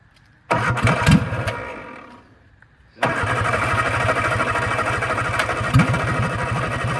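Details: 1964 MG Midget Mk II started with a little gas and choke after sitting outdoors 30 years: cranks and catches into an uneven, lumpy idle with stumbles; running rough, carbs need cleaning, pistons/plungers stuck.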